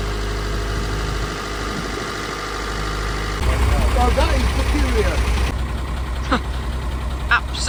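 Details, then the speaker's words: Truck that wouldn't start, presumed flat battery: a deep, steady, even idle rumble with no knock or miss. It is now running normally; the cause of the no-start is unknown. "no idea what happened but he is alive you can get on and do what we wanted to do for the day"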